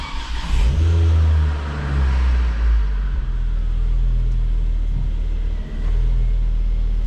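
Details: Ford Focus ST225 after fitting an AEM 340lph in-tank fuel pump upgrade, primed then started: engine catches promptly, blips up and settles to steady even idle, no stumble or misfire; no leaks found underneath.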